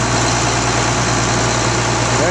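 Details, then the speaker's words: Rebuilt tractor diesel after its first start, brought up to high idle: a steady, even drone at constant pitch with no knocks, misses or rattles; a normal high idle. "Now I'll get this up to a high idle. And I'll run it for about an hour."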